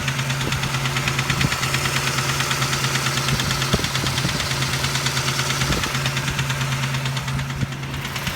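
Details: 1989 Toyota 4Runner 3VZE V6 at idle: sharp, fairly regular deep knock about three times a second, seeming from the upper front area; owner guesses bent rod and/or spun bearing, unconfirmed.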